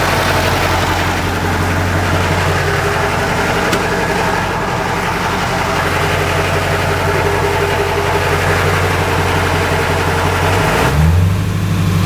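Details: Truck engine idling with a low, uneven drone and irregular rough pulsing, then revving near the end; a weird engine noise of unclear cause.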